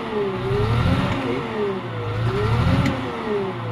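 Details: CAT 950H wheel loader diesel, six cylinders, error code 36 shows a number one injector circuit fault, open or short: revs in slow rising and falling surges with a rough, uneven beat. One injector not working gives misfire and low power.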